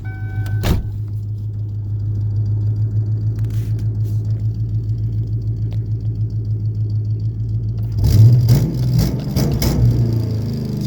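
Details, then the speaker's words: 1998 Ford Mustang GT V8, EGR uncapped: steady idle, then throttle blip whose revs sag slowly back to idle; idle air control valve suspected, before replacement. "it does that it goes down slowly like that so we're gonna fix that and then it goes back to idle"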